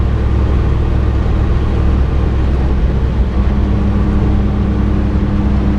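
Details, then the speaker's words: Old Toyota Dyna small truck driving with window open: constant low drone and rumble with faint steady tone and much vibration; owner unsure whether gearbox, universal joint, wheel bearing or exhaust noise. "not sure if we've got gearbox noise universal noise or uh wheel bearing noise not 100 certain that said it could just be exhaust noise"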